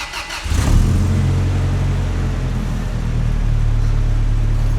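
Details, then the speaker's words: Rebuilt 2TR-FE with forged bottom end, truck at 395,018 miles, start after reinstalling vacuum lines and airbox: short crank, quick catch, brief rev, then smooth even low idle with no knocks or ticks; healthy start. "Sounds so good."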